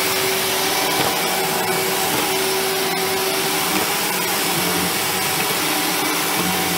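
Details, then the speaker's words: 1997 Sebo Automatic X1 upright vacuum after refurbishment, motor serviced, new brushroll and filter: smooth even motor rush with steady pitch, no rattles or surging; normal running. "so it mugged very well I did all the motor a little bit so that sounds better and it works"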